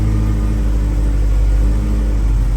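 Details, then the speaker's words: 1979 RS Turbo Fox body with 1986 SVO powertrain, cam swap and owner's own startup tune: deep, steady rumble holding even idle on its own with no stumbles or hunting; idling cleanly. "And it'll just sit there and idle on its own. We even got the own. See, now it sounds like a V8."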